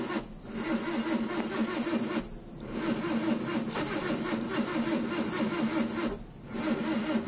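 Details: 1988 Mazda 323: starter churns on and on in long bursts with brief pauses but the engine never catches; cranks without starting, smoke from an exhaust manifold gasket missing two bolts.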